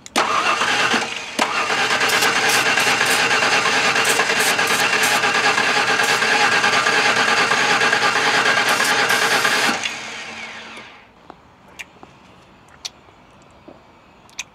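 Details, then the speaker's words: LT-engine van cranking but not starting even with brake clean, despite spark and after reconnecting an unplugged connector: steady uneven galloping crank about three beats a second, one cylinder down (dead hole). "so we got spark but it won't even fire off with brake clean hm right it does have a dead hole one of the cylinders is definitely down you can hear it Galloping"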